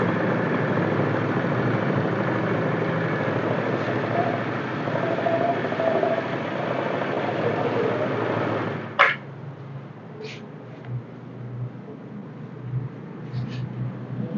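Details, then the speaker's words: Carbureted Honda Vario scooter before CVT service, with leaking CVT seal, worn wheel bearing and dead lights: even steady engine hum with no knocks or ticks for about nine seconds, then cuts off; engine itself still runs smoothly. "suara mesin masih halus"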